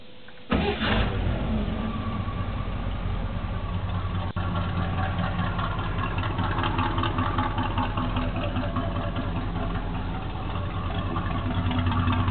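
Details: Small-block Chevy V8 first start after intake manifold swap and coolant refill, mechanical fan always running: brief crank, catches at once into a steady, even low rumble idle; owner hears what may be a slight miss on one side.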